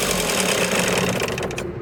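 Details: Toyota HiAce diesel at steady idle: a busy, rapid tapping knock over the diesel clatter, with engine vibration; knock of unknown cause, injectors apparently being checked.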